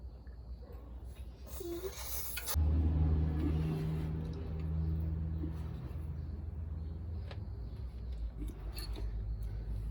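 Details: Truck diesel engine that began knocking "tá tá tá" while hauling, still knocking after new injectors and washers: a heavy idle with a steady tapping knock about three per second, which a mechanic traced to a cracked air compressor shaft.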